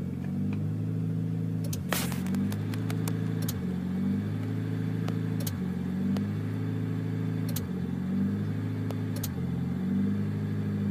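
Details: Honda EM2 with D17A1 petrol engine will not idle: idle hunts, rising and sagging about every two seconds; cause was a failed ECM, possibly from a bad or loose alternator; needs a new ECM.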